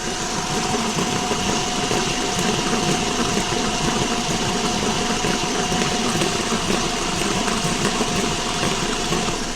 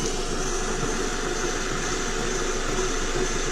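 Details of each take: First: Car with a rolling noise while driving, wheel raised and spinning: steady rough rolling rumble with a faint hum from the CV axle support bearing; the whole axle is likely to be replaced with a new bearing. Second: Customer reports a rolling sound while driving; CV axle wheel bearing spun for comparison: a smooth steady hiss with no grinding, rumble or clicking, quiet and healthy, unlike the rough bearing on the other axle.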